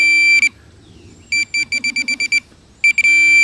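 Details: Minelab Pro-Find 40 pinpointer with sensitivity turned up: sharp high beeps, a quick run of about eight pulses between steady tones, signalling a metal target. A dime and a nail sound identical.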